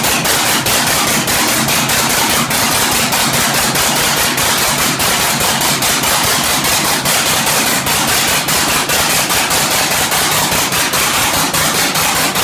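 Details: 1967 Oliver 1750 diesel, first start after overhaul: loud, harsh, uneven clatter at a steady pace of about a hundred beats a minute; injection timing off, later corrected.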